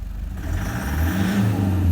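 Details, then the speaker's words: Toyota Prado 1KD-FTV diesel revving with a rough uneven low thrum, a misfire from badly worn Denso injectors. "listen to it well it's like a misfire"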